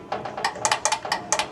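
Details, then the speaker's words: Bryant two-stage gas furnace, no heat, house at 54°F: control board relay clicks irregularly when thermostat calls but draft inducer motor never starts; motor and neutral tested good, failed control board relay. "That's the little relay, one of them energizing to bring on the draft motor."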